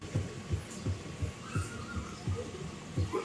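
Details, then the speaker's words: Mitsubishi Xpander, steering wheel swung left and right while checking the steering rack for the customer's noise complaint: dull low thumps about 86 a minute, like a loose unlatched hood knocking; mechanic finds steering noise present but not severe. "dahil nga sa pag nililiko nga itong manibela ng pakaliwa or pakanan, medyo nakakarinig daw si customer ng ingay."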